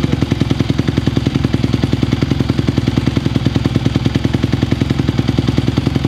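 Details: 2020 Honda CRF150R four-stroke single dirt bike, long-sitting, started from completely cold on choke after adjustments: steady, fairly even thumping idle at about three and a half beats a second; still a little cold but running cleanly.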